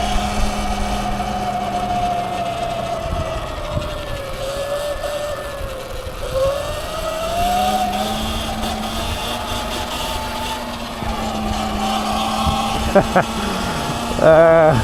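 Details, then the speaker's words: A $600 Sur-Ron electric bike on its first ride after four months of repairs. A steady whine rises and falls with speed over wind and road noise. The drive motor is noisy. Motor whine. "Yeah, people can hear it, man. It's got a bit of a whine to it, eh?"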